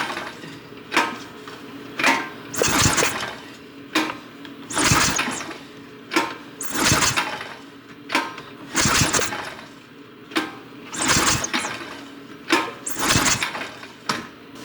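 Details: 2006 Honda Rancher 350 ES ATV, pull-start attempts: rough bursts about every two seconds, the engine spins over but never catches. A spark test with the plug grounded on the engine showed good spark.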